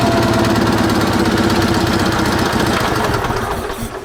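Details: Sears Suburban SS16, 16 hp Onan twin, after moving a fuel line hose clamp that the linkage hit: quick, even chugging beat at steady throttle, winding down at the end, no smoke, throttle works; normal running.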